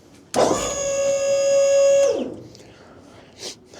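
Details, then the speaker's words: Dump trailer with its replacement hydraulic pump, which was swapped because the KTI pump was the wrong size, now run on a bigger battery during lift-stop air bleeding: steady, even motor whine at constant pitch under load, then a clean stop. The pump sounds stronger and healthy. "It sounds a lot better, honestly, that we switch the I know that sounds weird, maybe because it's a bigger battery, but it definitely sounds like it has more power."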